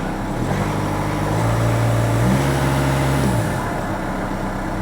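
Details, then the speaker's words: VW Golf Mk7 1.6 diesel, first start after oil and filter change, oil slightly high, filter still filling: smooth even idle, one gentle rev blip returning cleanly, no knocks; normal idle with light revs. "This is the first start-up, and everything sounds good."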